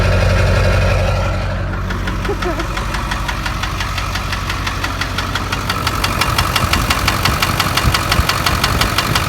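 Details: 2000 7.3 diesel truck, unstarted for two years, still has power when driven around the block: sharp regular knocks about three per second over the diesel clatter, louder with revs; deep knock, owner suspects rod knock, likely bottom end.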